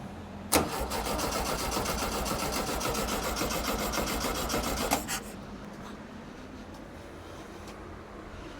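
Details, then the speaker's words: Barn-find 1967–68-ish air-cooled VW Empi IMP dune buggy with unknown past, started on fuel left in the bowl despite a leak at the fuel regulator: it catches at once and settles into a steady, even chuffing idle, a normal start. "Wow, that thing sounds really good."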